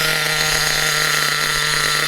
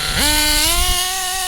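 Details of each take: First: HPI Trophy Truggy RC nitro 3.5 engine on 25% nitro during low-end needle tuning: high buzzing note sags and stumbles around three seconds, then picks up; still rich, bogging on too much fuel. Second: HPI 3.5 nitro Trophy buggy: after revving to clear oil build-up, punching from tick-over jumps straight to a high, steady scream with no hesitation; clean throttle response. Long idling would build oil and cause a cough.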